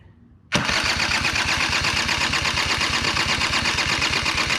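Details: Machine with 85 engine and no kickstart, on ethanol-free gas: fast even starter whirr with regular pulses never catching; cranks but won't start, owner suspects petcock not opening enough to let fuel flow.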